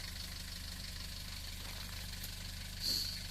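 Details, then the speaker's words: Nissan Terrano 2 TD27 diesel, cold start at -29°C: an even diesel clatter at a steady idle just after starting, with no misfire or extra knock. It runs normally. "oh it's only minus twenty nine it's running nice"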